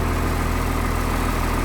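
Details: 1996 Blue Bird diesel bus idling in cold weather, cab interior items vibrating, 50 psi oil pressure, alternator charge coming up, half fuel; low even diesel clatter at steady idle with no misses or knocks, normal healthy idle.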